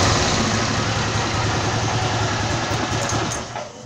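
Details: Honda CG rebuilt to 260 cc (262 cc project) single-cylinder, engine just finished: low, steady idle around 1,500 rpm at a relaxed even pace, no ticks or knocks; normal idle.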